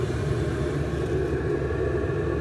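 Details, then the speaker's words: Chinese copy diesel parking heater in a camping case, brand new, at 3.2 pulses per second with about 93 °C and no faults after nine minutes: a steady, loud whooshing roar from the blower at full speed, pump ticks buried underneath. The fan sounds normal. "it's hard to hear the pump over this fan ramping up but that should get us full blades you can hear it's getting louder now"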